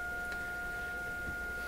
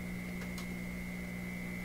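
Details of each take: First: Florida AM/FM/SW tube radio on low voltage with a test tone: a steady, pure high tone at low volume with no buzz, rasp or crackle. The audio output is clean with no distortion. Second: Florida AM/FM/SW tube radio under troubleshooting for low output and distortion: a loud, steady low hum with a thin high whine swamps the output. A poor ground at the hooked-up connections is suspected, not confirmed.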